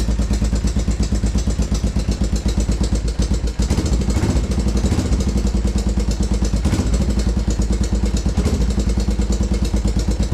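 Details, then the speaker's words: 1987 Honda Foreman TRX 350 single-cylinder ATV at idle after routine service: loud uneven clattery knock, not rhythmic, speeding and slowing, louder than valve tick; timing chain knock. "It's not a consistent, you know, it's quicker than slower than quick, you know."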